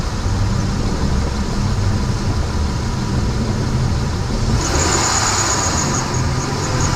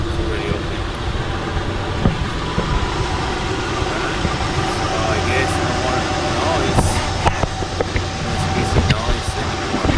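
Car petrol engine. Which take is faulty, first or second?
first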